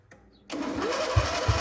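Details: 1997 Mastercraft 38-inch MTD lawn tractor, 12.5hp Briggs & Stratton single, parked outside for years, on a charged battery with choke cable stuck: it catches and settles into a steady, slightly lumpy run.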